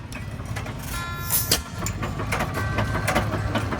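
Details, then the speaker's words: Early hit-and-miss engine with J-type mixer at Portland, Indiana engine show: slow thumping beats coast down and pick up as it fires on demand at top dead center; running as it should. "And then when she comes back up on top dead center, then she'll fire. So that gives you a little idea how some of these early hit misses run."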